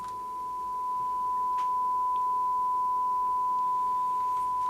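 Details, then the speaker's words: Grundig Satellit 3400 Pro radio after a full recap of the electrolytic and tantalum capacitors, signal injected and run into a 4-ohm selected output: a steady, pure mid-pitched test tone, clear with no buzz or crackle, so the audio stage passes the signal cleanly. "now all we need to do is switch it on and give it some volume and we can hear it okay we can hear it and it's quite clear"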